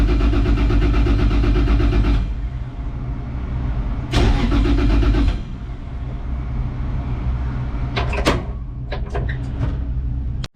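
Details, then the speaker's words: Toyota GT86 unstarted for a year, new alternator and belt just fitted, battery at about 11 V: two sluggish cranking bursts at about three turns a second that never catch; weak battery cannot crank the engine properly. "Okay guys, 86 tak boleh start pasal bateri tak kuat."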